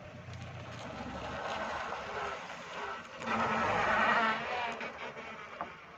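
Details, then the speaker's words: Fiat Stilo, after the brakes were taken apart and refitted to cure squeal and grinding: car slows with only soft road and tyre rumble, no squeal, scrape or grind; quiet brakes. "जैसा कि आपने देखा मैंने अभी bread लगाइए कोई आवाज नहीं आई प्रेड में से"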